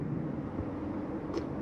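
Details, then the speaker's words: 2022 Jayco Eagle 335RDOK travel trailer, second AC in the bedroom: steady blowing rush over a low even hum, no rattles or squeals; rooftop air conditioner running normally. "There's your second AC up in the bedroom. Hear that blasting."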